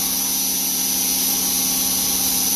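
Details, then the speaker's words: Knife-making belt grinder with a freshly fitted sharp belt, grinding a dagger. Even, constant high-pitched cutting hiss with a light hum underneath and no chatter; normal grinding with a fresh belt, while catching an edge or ridge would bring an angry hiss. "Just imagine you're standing in a butcher and you can't see the meat processing, but you can hear that slight hum. That's what you're listening for."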